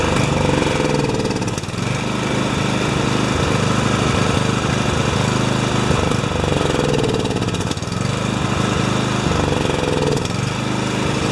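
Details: Husqvarna snowblower, 14.5 HP Briggs & Stratton overhead-valve engine, cold, choke on, not in gear: single cylinder chugging unevenly with surging, lumpy firing; runs only on choke, cause not yet known.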